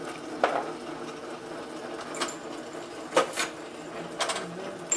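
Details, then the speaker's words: Advent 300 semi-automatic pressure sensitive labeler with overhead pressure arm, labeling about 20 molded plastic jars: quiet hum with light clicks and soft swishes about every second per bottle; cycling normally, perfect adhesion, no bubbles or wrinkles. "two containers left that's it that's the advent 300 labeling all these containers i think close to about 20 right here"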